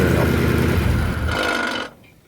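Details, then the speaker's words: Porsche 928 V8 at idle: loose, uneven rattle over the low rumble, audible in park and neutral but gone in drive, heard more after shutdown; source unknown, rattle at idle in park or neutral. "the car runs but there is a Rattle and I can't seem to figure it out can you tell me what this might be that sound that you just heard is audible when the car is in park and neutral but when I put it in drive it goes away"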